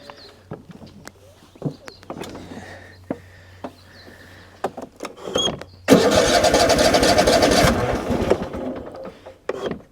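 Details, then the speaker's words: Tractor with half a tank of fuel, started outdoors in light rain: it cranks, catches and runs rough with an occasional skip, a slight misfire. Earlier it popped badly and almost sounded like knocking, as if one cylinder wasn't firing; cause unknown. "You can hear it missing a little bit. I mean, it sounded It sounded bad before. It almost sounded like it was knocking."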